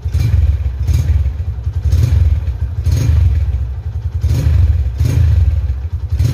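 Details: 2011 Tiger Revolution (Tirev) limited edition, 10,000 km, revved: deep single-cylinder thump with quick, clean rev blips about every second, rising and falling sharply; crisp, healthy throttle response.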